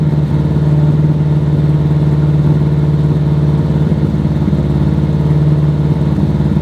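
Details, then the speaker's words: Subaru Impreza 2.5 RS engine idling after running to bleed air from the cooling system, not yet tuned (timing may change sound): steady, even idle with smooth low rumble, no knocks or misses; normal idle. "Sounds good. Once it's actually like tuned, the sound will change a little bit with ignition timing and everything else like that, but not bad. No bad at all."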